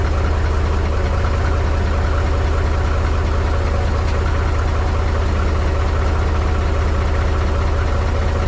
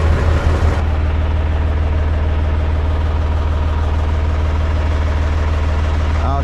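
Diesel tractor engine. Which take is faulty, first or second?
first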